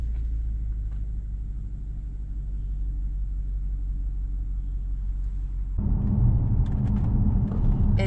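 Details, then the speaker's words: 2013 BMW 750i M Sport with a rebuilt V8 (after a seized engine) on its first drive: a steady, even rumble while cruising that swells smoothly under load, with no knocks or rattles; it runs very smoothly. "smooth. I could sleep, you know? Not that that's a big surprise."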